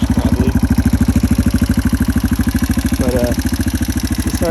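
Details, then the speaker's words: 2005 Yamaha TTR230 single, muffler fitted, warming through a heat cycle: steady fast idle near 160 beats per minute with a light tick; owner thinks the rockers need readjusting; ticking later gone after fuel-air mixture screw adjustment. "drain it's got a little bit of a tick still need to readjust those rockers"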